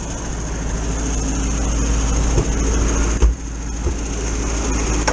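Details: 1973 VW bus air-cooled flat-four with electronic ignition, idling too fast after timing advanced from about 27 to 30 degrees to cure hesitation; steady busy hum.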